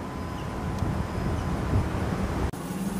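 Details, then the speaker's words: Newly installed scooter hub motor runs jerky with a rough, uneven chopping hum because its phase wiring doesn't match the controller; the fix is to pair the motor to the controller. "we can see that this moto is jerking and it is not normal"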